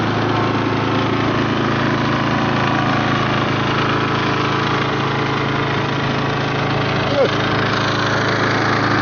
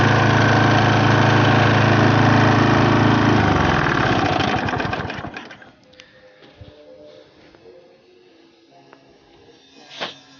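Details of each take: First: Masport mower with a Briggs & Stratton Quattro 4.0 hp four-stroke, left outside and seized for seven years, freed with penetrating oil and spark plug cleaned, first cold start: a steady drone with a slightly uneven beat, some smoke; runs on its own, possibly rough. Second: Briggs & Stratton Quattro 4 hp four-stroke on a Masport mower, seized and unused 7 years, revived with oil change, cleaned fuel tank and plug; steady even single-cylinder beat then shut off and winds down; no smoke, running normally.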